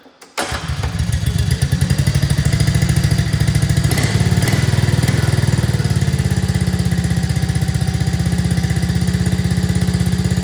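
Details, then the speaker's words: 2024 Arctic Cat ZR 200 snowmobile with throttle safety switch unplugged as a temporary fix for stalling at idle; engine starts and holds an even, low puttering idle without stumbling, then shuts off; normal steady idle. "it runs just fine and that'll get you home"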